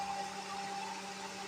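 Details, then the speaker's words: Toyota Wigo, newly installed auxiliary condenser fan with relay, fuse and switch, running with engine and AC on: steady, even whoosh of air and constant low hum, no rattles or rubbing; fan works strongly. "Lakas yan, boss. Papasok yan sa loob. Additional fan."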